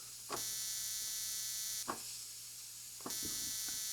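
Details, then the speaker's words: 1950s spark plug cleaner and tester with coil, capacitor and condenser spark circuit: thin steady high buzz in bursts while button held, spark not visible in mirror; very weak spark, cause unclear. "And it works, but you can't see the spark. It's just a really weak spark."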